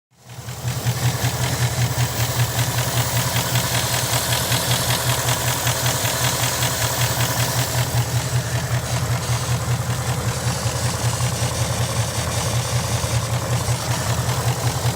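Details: 2018 GT petrol engine: after a drive to work, rough lumpy idle with fast busy clacking, apparently from the throttle body area; restarting resolved it, but the DI pump now sounds like a loud old receipt printer. Cause suspected, not confirmed.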